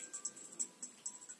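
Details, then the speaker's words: Speaker after resoldering its wires, bad contact caused by excess heat-shrink removed: bright, even chime-like notes with no crackle or cut-outs, speaker working normally. "так то можно закручивать все слышно было что она работает"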